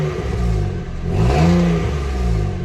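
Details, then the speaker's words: Peugeot 107 after gearbox swap, new clutch and new exhaust section: small petrol engine revving up and settling with a puffing, blowing edge; exhaust leaking at a joint, needs a new clamp. "it's all sounds like blowing from that joint I'm glad to get a new clamp on there"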